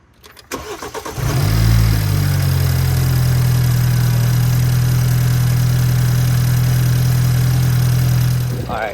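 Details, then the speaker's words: 2015 BMW 428i with N20 engine after an upgraded timing chain tensioner, with the intake reconnected: starter cranks, engine fires and flares, then settles into a smooth, even idle with no chain slapping or rattle on top. "so definitely the it's like less noise. So, I believe that some of the other noise are coming from elsewhere."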